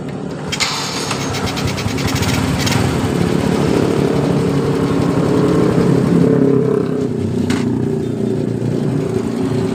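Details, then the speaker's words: Honda Grand motorcycle that ticked after an oil drain, now after pumping oil into the cam chain tensioner through the left case: smooth, even idle with a steady low beat and no top-end ticking. The cam chain noise is gone. "kita hidupkan kembali jadi suara dari rantai kecilnya tadi sudah tidak ada ya teman-teman"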